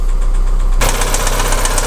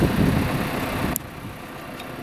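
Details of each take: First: Audi Q3 1.4 TFSI (CZDA), cold start, no fault codes: steady, rapid, loud knocking from low in the engine at idle, also burning oil; piston knock, engine going for overhaul. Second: Audi Q3 1.4 TFSI (CZDA) after a rebuild for knocking and oil burning, with the block bored to second repair size and new pistons: smooth, even idle with a low steady hum and no knocking or ticking, over light wind. Healthy idle.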